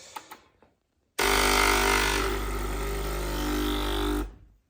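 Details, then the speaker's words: Breville Barista Express Impress BES876 at switch-on: steady pump hum for about three seconds, purging air and filling the boiler with water so it won't overheat, then stopping. Normal so far; customer reports the pump engages randomly after the first coffee. "okay. Purging water, filling the boiler with blue water instead of air so it doesn't overheat. So it's doing everything normal so far."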